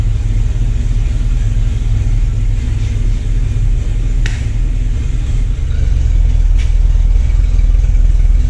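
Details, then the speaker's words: Jeep Cherokee after distributor and spark plug work, computer reset several times, hood down: deep fairly even rumble with slight lope, smoothing as it warms; normal idle. "yeah that sounds better that's a running heat that is around you that put the hood down and it purrs"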